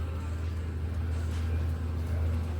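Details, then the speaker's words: 2013 Chrysler 200 that keeps shredding serpentine belts, at idle: steady low engine drone with a rough undertone from the belt drive. The AC compressor has lost its mounting bolts. "huh so we've lost our AC compressor bolts"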